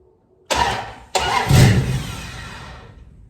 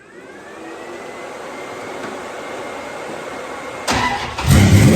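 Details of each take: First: 1973 Dodge Dart cranking after rewiring, cold rainy day: two laboured cranking bursts, starter dragging and slowing against compression before firing; hard cranking from slightly too much ignition advance, timing close to right and still to be dialed in. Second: 1973 Dodge Dart Swinger V8, open headers, after timing was advanced: fires, blips sharply and settles into a loud, steady, lumpy idle; running again and responding crisply, timing still to be dialed in.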